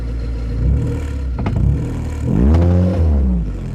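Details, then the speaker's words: 1987 VW Polo Mk2 Fox 1-litre carb engine, set to factory specs, on test drive with mic on exhaust; under revving, sharp hollow thumps as the exhaust whacks against the body. "Need to look at that exhaust. It's really whacking against the body."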